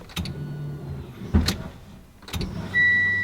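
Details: Mitsubishi Evo X with upgraded fuel pump on a new hardwired relay kit: key turned on, clicks, then a short even electric hum of the pump priming; wiring works, sounds healthy.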